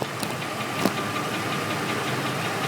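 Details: Ford engine at steady idle: light, regular ticking knocks over the engine hum from the transmission end; bent flexplate, found after lengthy diagnosis.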